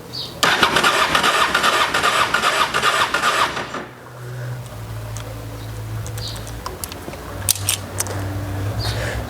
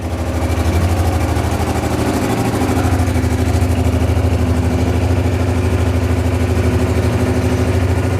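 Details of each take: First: Honda XRV750 Africa Twin after ten years stored, fresh gas, petcock on, choke: starter churns about three seconds and stops without firing; fuel pump not getting power, later traced to a corroded fuse. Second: Honda XRV750 Africa Twin just revived after 10 years stored, running on reserve fuel after corroded fuel-pump fuse; even, steady low thump about three beats a second, no misses or knocks; healthy twin idle.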